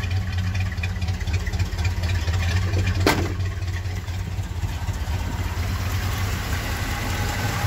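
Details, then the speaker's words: K5 Blazer engine with suspected leaking head gasket (cooling pressure drops, coolant boils after shutdown): even, steady low rumble at raised idle with no knock, rattle or tick; runs smooth. "Oh, it's running nice and smooth now,"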